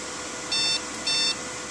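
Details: Dell desktop PC sounds two short, shrill beeps at power-on, a BIOS/POST startup beep code (Dell-specific beep codes).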